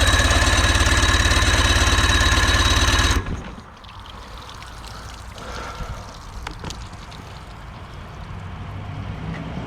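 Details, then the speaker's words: 48 HP Johnson outboard (48SPL) first start after sitting for years, choke up: quick, even firing beat with steady rhythm and no misses, water pump working; runs cleanly at idle. "yep he's running water pump is working"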